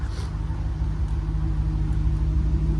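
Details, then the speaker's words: GM 1989–92 era V8 fitted with fourth-generation Bosch injectors replacing failure-prone grey Multec injectors: low, even idle, steady deep hum, no stumbles or misses; normal, crisp idle. "so this car is set up exactly the same way now listen how crisp this car is and that's the difference in these injectors"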